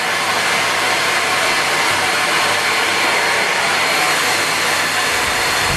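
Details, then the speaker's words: Miele Complete C3 vacuum, second unit tested: steady even high-pitched rush of air with no rattle or grinding, sounds right and working, unlike the other unit that sounds like a sawmill. "so this one sounds more right. I can see the difference now. This one sounds more like it's working."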